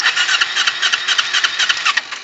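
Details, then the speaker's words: 2008 Kawasaki Ninja 250R that stalled when slowing into a parking lot cranks with an even starter whirr but won't fire; owner suspects an over-rich mixture (exhaust smells of raw gas) and thinks a rejet may be needed; it earlier restarted with the throttle pulled fully back. "Okay so now I might have to do what I did last time which is pull the throttle all the way back oh boy she doesn't want to turn on now"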